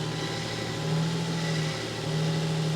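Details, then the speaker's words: Abandoned Ford Mondeo ST220 3.0 non-runner, first start on jump pack: stays running at a steady, even idle with smooth low hum, no knocks or misses. "let's just try it well it stayed running"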